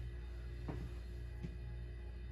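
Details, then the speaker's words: Nutone Proline 56-inch ceiling fan on low speed: soft, constant low drone with nothing rhythmic on top in a quiet room; audible but mild hum from the fan motor. "You can hear it humming now. I know it's hard to. It's kind of actually it's not too bad."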